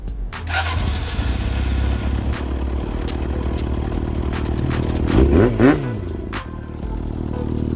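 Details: Yamaha XJR400 after readjusting valve clearance to spec (earlier set too loose and noisy for lack of shims) and fixing a leak: engine catches, blips once, settles into steady even idle with no tapping, normal.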